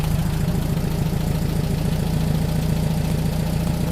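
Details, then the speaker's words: Rebuilt 40HP air-cooled Volkswagen flat-four from a 1962 Type 2 bus that sat over 40 years, first start after replacing the oil cooler: steady low, even putter at idle with no misses or knocks; normal idle. "make Rusty happy yeah it sounds good man really good"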